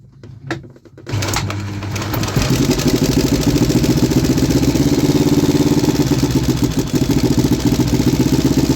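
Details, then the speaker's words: 3D-printed inline two-cylinder four-stroke engine, after the PCV one-way valve was refitted correctly and the carbs synced: a few cranks, then it catches into an even, lumpy twin beat of three to four pulses a second while revved; normal running. "I feel like it kinda sounds like a V-twin."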